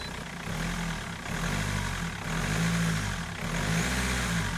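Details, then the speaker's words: BMW M47 diesel with the accessory belts removed to isolate a bad noise near the steering pump (timing chain or accessories suspected): low, fairly even idle with soft steady clatter and no knock or squeal; normal idle. "Sounds good."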